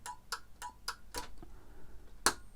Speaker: you also know as well that even though you've got your dcc input the programming reminder led will always light up you can hear the relay clicking